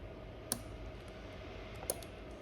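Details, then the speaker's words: Lexus LS430 3UZ-FE VVT-i engine swapped into a right-hand-drive IS200 manual via a plug-and-play harness, during testing. Two sharp relay clicks when the brake switch wire is fed 12 V; the stoplight signal reaches the ECU, normal. "quickly pull that out you can hear the relay clicking away there"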